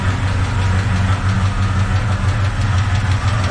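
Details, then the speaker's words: 1970 Chevy truck V8 after new starter and oil change, long-stored: steady idle with light uneven tapping from one bank, valve train tick; collapsed lifter or out-of-adjustment valve suspected, not confirmed. "if you can hear it but this side's tapping remember this truck sat a long time so I don't know if it's got a collapse lifter or or what or an out of adjustment valve"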